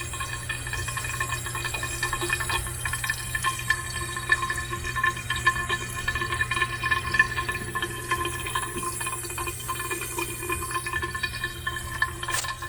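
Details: Pipe with valve locked off tight: constant rushing hiss of water flowing with a faint whistle even though shut; noise appears only when locked tight, cause unknown.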